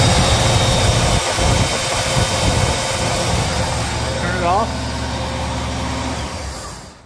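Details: 1975 Pontiac Grand LeMans, 400 with two-barrel carb, back on road after 21 years, choke fixed by lubing linkages: cold start into even, settled idle, steady low rumble, no stumbling or hunting; runs fine.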